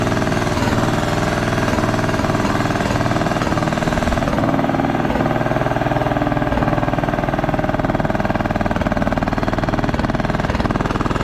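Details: Craftsman T1200 riding mower engine with steady heavy uneven chugging about two beats a second; compression seems very high, hard on starter; owner suspects valves, rough running cause unconfirmed.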